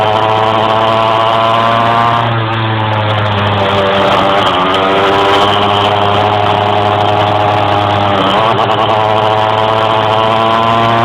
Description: bruis moteur qui a du mal a monter dans les tours en roulant.